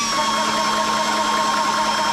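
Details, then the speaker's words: ToAuto PCP 4500 psi portable compressor filling a 0.5 L snorkel tank on a 12 V battery. Even buzzy hum. Running weakly on low supply voltage. "But maybe my jump pack's just not what she used to be, so let me find another one."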